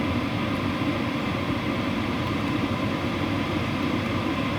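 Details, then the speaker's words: WIPPRO diesel heater at power level 7, about to go to 10, output very hot, possibly with an upgraded muffler: steady, even blower rush with smooth airflow roar and no fuel-pump ticking. Normal fan operation. "You can hear that fan ramping up, and it's super hot. Still no ticking. That's what's most impressive to me."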